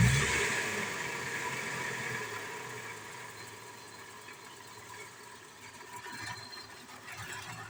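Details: 1999 Toyota Tacoma engine that is hard to start catches and settles into an uneven, lumpy idle with irregular stumbles: misfire at idle.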